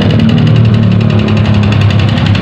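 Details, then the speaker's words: Yamaha Vixion motorcycle at idle sounding like a diesel: heavy steady hollow clatter on every firing stroke; owner suspects piston, to be confirmed by teardown. "suaranya ini kenapa saya nyebut mesin diesel nemplok di rangka Vixion [Tertawa] akhir-akhir Ini kemungkinan besar pistonnya jadi seputaran piston nanti kita bongkar dulu kita cek"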